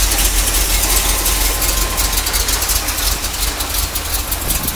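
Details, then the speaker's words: 1980 C3 Corvette V8, a non-runner, first start on the trailer: low, steady idle with an even beat of almost three pulses a second and no knocks. Accelerator pump leaking, carb thought too big; runs but needs a tune-up. "all right there you go guys it runs so what I'm gonna do now is get off the trailer but it definitely needs a tune-up"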